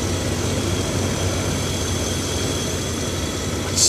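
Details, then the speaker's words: Abandoned Rolls-Royce Silver Spirit III V8 idling on its first start after sitting for years. It is smooth, even and low with no knocks or misses, with good voltage and oil pressure. Spilled oil is burning off the manifold and should clear soon. Normal idle. "incredible just need to let that oil burn off on the manifold that I spilled should be gone soon"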